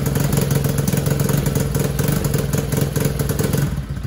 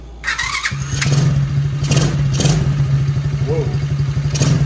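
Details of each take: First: TAO 110cc ATV, original engine, jump-started: chugs at steady idle, never revs up, flat weak note, won't throttle up or pull; low compression of about 50 psi, engine to be replaced. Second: TAO 110cc ATV after swap to brand-new engine, Amsoil 10W-30 oil and fresh gas: cranks briefly, catches within a second, settles to steady even low putter with no knocks or misses; running well, replacing low-compression engine.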